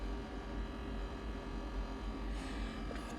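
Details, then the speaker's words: Propane gas heater on a 12 V DC system converted from 120 V AC, running after blown fuses replaced; steady, even blower hum with low buzz, no rattles or surging, heat just starting to come: normal blower running. "just blowing yeah I don't know it's blowing"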